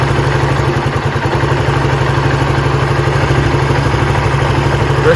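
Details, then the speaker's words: Honda CBR150R single-cylinder with manual ISC replacing the automatic one, idle screwed down from about 1500-1700 rpm toward 1200-1400 rpm; slow, even thumping about three beats a second: normal low idle. "Ini RPM-nya udah saya kecilin. Jadi posisinya di sini nih. Kalau mau kecilin tinggal dikencengin."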